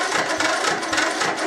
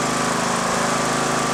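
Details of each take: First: Mower unused for a year, lead-acid battery recovered after 24 hours charging with one bad cell: thin labouring starter whir turning the engine without catching; battery too weak to start, needed a jump. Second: Mower cranked by a restored lead-acid battery that previously would not crank it even after charging: strong, steady cranking despite one bad cell; the engine later started.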